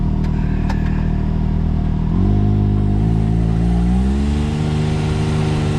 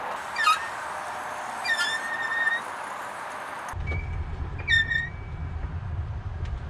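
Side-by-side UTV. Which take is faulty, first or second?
second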